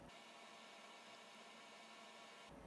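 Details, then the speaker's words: Honda CR250 two-stroke dirt bike leak-down test, spraying soapy water around seals: a steady, soft hiss of escaping air at the tester's elbow fitting, a tester leak, not the engine; elbow later fixed. "one right here my testers leaking a little bit this is what you gotta look out for this is what it looks like when you do find a leak"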